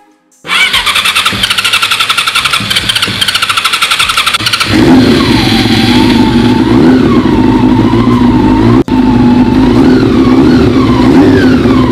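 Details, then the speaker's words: Honda CB400 four-cylinder after sitting 20 years, engine overhauled with about 10 bar compression, good oil pressure, carburetors reinstalled, first start: catches quickly into a fast, even beat with smooth revs, no knocks or rattles; healthy. "Finally, it's alive again. The moment it started up, that sound healed every bit of exhaustion in me."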